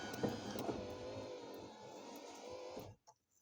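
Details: 2001 Pontiac Firebird power window after wiring up the window switch, key on: steady electric motor whir for about three seconds then a soft stop; window motor runs and completes its travel normally.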